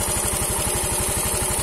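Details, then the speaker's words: Yamaha Mio M3 125 scooter after cylinder block and piston replacement, damage caused by running out of oil, running on a straight open exhaust; loud quick even pulses, steady beat, no knocking or rattle; normal idle. "oke Lur ini sudah nyala mesinnya ya ini sudah ya saya pakai knalpot"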